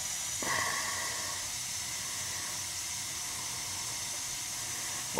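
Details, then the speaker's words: Gas boiler with high CO levels after a replacement gas valve was fitted and adjusted, CO down to 12 ppm: soft, even hiss of burning gas with no roar, flutter or popping. Normal burner flame after repair. "a difference guy what a difference you could hear the difference in the gas valve"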